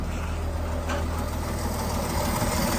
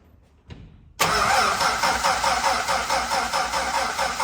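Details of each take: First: Dodge D5N truck with 245 Hemi, first running after sitting 5 years: steady idle with a light, fast tapping from the front of the engine, which the owner puts down to everything still being a bit dry. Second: Dodge D5N truck with 245 Hemi six, first start after sitting 5 years, after a new terminal, new fuel line and fuel primed: catches at once and settles into a steady, even idle.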